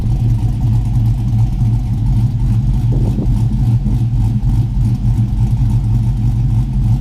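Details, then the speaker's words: LS V8 Chevrolet Tahoe after installing headers and Y-pipe with O2 sensors reconnected, first start: deep even rumble with one brief rev, no ticking or puffing leaks; exhaust sealed and running smoothly, quieter than expected. "Everything done, no leaks, everything sounds good. Not as loud as I thought it would be."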